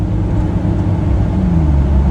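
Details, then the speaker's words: Jeep Cherokee after replacing a cracked exhaust manifold and a dented, blocked pipe, now with a Flowmaster muffler. Deep, throaty rumble rising slightly with revs, even and free of ticks or leaks. Normal exhaust note. "This thing runs a lot better. Sounds a lot tougher too with that Flowmaster. Now you can actually hear it. There's no blockage in the exhaust, you know, from that big ding in that pipe."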